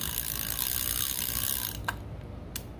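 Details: Repaired Penn spinning reel tested before its CorrosionX spray, with the lock turned off and on: handling noise, then a couple of crisp, sharp clicks as the ratchet engages and locks cleanly; normal ratchet clicking.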